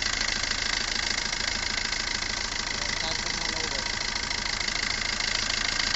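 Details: Maruti Suzuki Ertiga after a no-start traced to a small faulty relay, no scanner faults, battery drained by cranking: engine catches and settles into a steady, even idle with hissy top end, no misses or knocks; normal idle.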